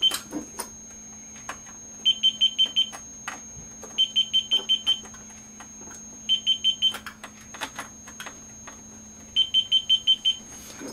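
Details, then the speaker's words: MeterBuilder MB-1 kit self-test diagnostics while probing the eight coupler input ports (forward and reflected on four couplers): four bursts of quick, evenly spaced high annunciator beeps with faint clicks between; every port answers, all working normally. "the enunciator is useful for in case you have to do some troubleshooting without looking at the front panel"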